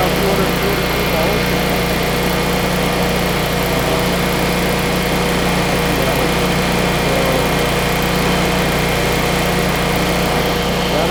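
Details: Generac standby generator running after a start from the dealer test menu: a steady high-pitched engine buzz with a constant hum, holding one speed with no surging or knocking. Output frequency reads 60 Hz, running normally.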